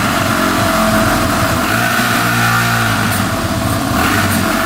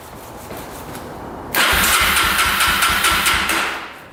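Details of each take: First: 2005 Yamaha TTR250 that had sat without starting, after replacing a carburetor needle that blocked fuel: picks up cleanly on the throttle and settles back without stumbling or ticking, no carb leaks; normal running. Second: 2005 Yamaha TTR250 single-cylinder, sat unused for about two years, petcock on reserve with choke pulled: starter spins with a steady rhythmic churn but never fires; crank no start from fuel starvation, with a leaking petcock.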